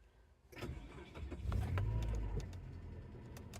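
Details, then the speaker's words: 2000 Chevy Tracker right after installing a new A Premium fuel pump assembly: starter turns briefly, engine catches within a second and settles into a steady low idle before warming up; normal start. Fuel gauge still not reading correctly. "He runs. So, we'll let her warm up a little bit. This is so nice. This is running again."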